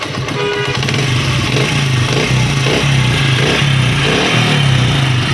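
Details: Honda CD 70 or similar Chinese bike engine after fixing the engine noise without replacing parts, working under the tappet cover with timing set to top mark: steady low even running with no ticking from the valve area.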